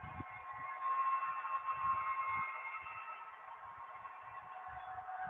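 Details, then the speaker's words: Model train locomotive, nearly a year old: steady high squeal over a busy whirring drive while running; owner suspects it needs cleaning, grease and oil. Cause unconfirmed. "it's about time to open it up because it's squealing like way too much l that sounds like it that sounds like it needs uh grease and oil"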